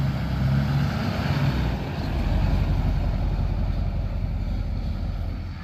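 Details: 2005 LLY Duramax diesel just after rebuilding the leaking factory fuel filter housing and priming/bleeding lines: deep, even rumble settling into steady idle with no misses or knocks; runs smooth and healthy.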